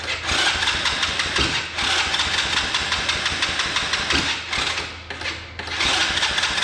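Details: 125cc Chinese kids' ATV, before carb clean and spark plug change, fires and runs unevenly with rough sputtering and brief dips, struggling to keep running; possibly not getting enough fuel, mixture screw being adjusted. Cause suspected, not confirmed.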